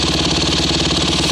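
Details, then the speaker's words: Freshly rebuilt Honda CRF150R single-cylinder dirt bike, already warm from an earlier start, idles crisp and even with a steady quick exhaust beat and no knocks or misses; runs smoothly after rebuild. "I just fresh rebuild and it runs like a champ"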